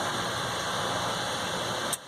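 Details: Hayward H100ID gas pool heater after start-up: steady harsh grinding roar with a faint high whine; owner does not know the cause.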